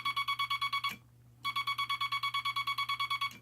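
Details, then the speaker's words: Semi-automatic telegraph bug (key) dot contacts after installing the dot stabilizer, wire run parallel to and touching the dot contact spring, then readjusted: two runs of crisp, evenly spaced dots with a definite start and stop, no scratchiness; clean keying. "Now you can hear a definite start and a definite stop, instead of a very scratchy sound. So that's what we want."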